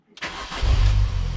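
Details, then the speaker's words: Mini Cooper R50 just fitted with an R53 intake manifold: short crank, then it fires straight up and settles into an even low idle; clean start. "Fire straight up. There we go. Sounds good."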